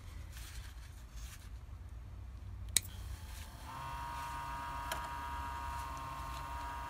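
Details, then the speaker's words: Old auxiliary coolant pump from a 2009 Toyota Prius 1.5L I4 hybrid, bench-tested with a power probe: a click, then a thin steady electric whine that never changes pitch when its inlet is blocked; no suction, needs replacing. "can hear that the sound doesn't change at all which means that it doesn't have as powerful or it doesn't have any section so that means that we have to replace it with a new motor"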